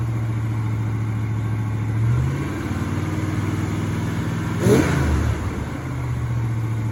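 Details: 1984 Chevrolet El Camino, first start in almost 4 years: steady, too-fast idle with a couple of quick throttle blips; high idle caused by two disconnected vacuum lines.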